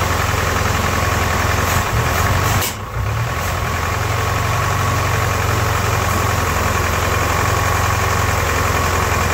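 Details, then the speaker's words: Ford-built M151A2 military jeep, 141.5 cubic inch engine, stored 20 years, oil pressure gauge pegged: idles with a loose, uneven diesel-like knock of three to four beats per second over a low rumble; owner suspects pistons or rods, not valve train. "It's down here, pistons, rods, I don't know. It sounded awful, terrible."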